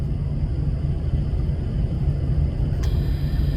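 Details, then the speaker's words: Lexus LS430 cruising 70 mph, chassis ears on driver hub, diff housing and passenger hub; steady low drone under road roar, most noticeable at this speed, pitch rising with speed; began after rear diff fluid change and tire rotation; no wheel play; diff or bearing suspected. "Right now, cruising 70. And this is when I really noticed it the most."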